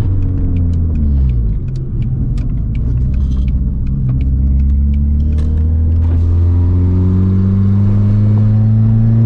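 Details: Mk4 VW Bora wagon with the muffler deleted, driven at wide-open throttle: deep booming drone swelling under load, with little crackle or popping; the exhaust opens right after the catalytic converter.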